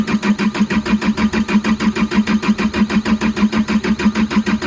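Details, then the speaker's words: Develon DX62 excavator diesel that won't start, fuel filters fairly clean, debris in the metering unit: even cranking at about three compressions a second with no firing; fuel pressure not building or being lost, damaged injectors suspected. "Alright! It's not that then. Okay, so we know something somewhere isn't either creating pressure, or pressure is being lost."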